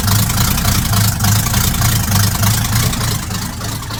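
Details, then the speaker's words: Truck V8 after new exhaust install, fuel leak still dripping on exhaust: deep, loping idle with steady, even firing pulses and throaty exhaust note; smooth and healthy. "that sounds pretty awesome. Let's give it one more. That is amazing."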